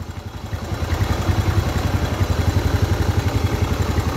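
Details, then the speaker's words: Motorcycle engine after the top-end (cylinder head) knocking repair, oil now reaching the head; steady, even firing pulses under light throttle with no knock or rattle, the earlier rough noise is gone. Normal running engine. "ah berkurang drastis dari suara tadi ya ini bisa dinyatakan suara kasar tersebut hilang"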